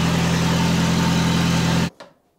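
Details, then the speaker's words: Toyota RA28 Fastback Celica, earlier recording before the new exhaust, running with only a half pipe fitted: deep, loud, steady idle drone cutting off abruptly; open, barking note from the partial exhaust pipe. "all right so I did a recording before with the half pipe let's hear that now that's a spicy meatball"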